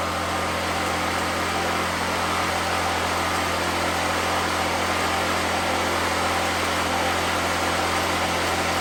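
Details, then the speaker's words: 2014 Black Max generator (97 hours, carb work after running issue), cold weather, running a grinder: steady, even drone holding constant pitch under load with no surging or hunting; runs normally. "It does run that grinder without an issue. So that means it'll run a coffee pot without an issue."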